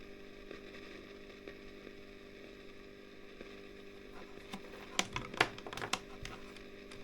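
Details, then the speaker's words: Early-1960s Selmer Little Giant single-ended guitar amp, all original, long stored: steady low hum, then irregular sharp crackles and pops flare for a couple of seconds, a frying noise that has steadily worsened; failing plate resistors. "noisy but yeah that is quite and it and it has got steadily worse"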